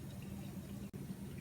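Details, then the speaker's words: Viking Pro VDB450ESS dishwasher just started after cycle selection and door closing: quiet, steady water rush with a gentle low hum, no knocking or grinding; normal fill to start the wash. "You can hear the sound of the dishwasher going, and you're all set."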